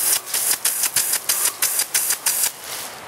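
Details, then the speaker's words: Water hammer in a one-inch poly irrigation line at 120 psi static pressure: a nozzle snapped fully open then released gives rushing water cut off in sharp surges that slam and reverberate through the pipe. "that's water hammer that's the rushing of the water and now it's reverberating"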